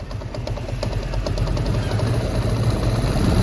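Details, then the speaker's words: TVS Apache RTR 160 BS4 motorcycle at idle: uneven metallic engine rattle about three per second that quietens as revs rise and returns when throttle is released, with white smoke; source not yet found, engine to be opened. "जैसे मैं race बढ़ाता हूं तो आवाज कम हो जाती है और रेस छोड़ते ही आवाज बढ़ जाती है"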